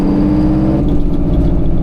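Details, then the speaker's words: 1973 Freightliner cabover with straight-piped Detroit 8V71 two-stroke diesel, freshly rebuilt blower reinstalled, on road test: deep drone turns into hard, rapid, evenly pulsed staccato bark as the Jake engine brake bites; engine brake working normally. "These jakes hammer, dude. Everybody says 71 jakes don't work, man. I'll tell you what. That is incorrect."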